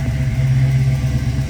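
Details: 1966 Ford Mustang, V8 with fuel injection, just after a cold start: deep, smooth, even rumble with a steady beat and no ticks or knocks. Normal cold idle.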